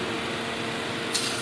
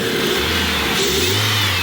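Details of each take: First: 2002 Dodge Neon with idle hunting: steady hiss over the idle from a hole in the accordion intake tube behind the throttle body letting unmetered air in; intake air leak found. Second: 2002 Dodge Neon after replacing the leaking intake tube at the throttle body: revs up cleanly and returns to a steady idle with no hunting or surging; normal running after the repair.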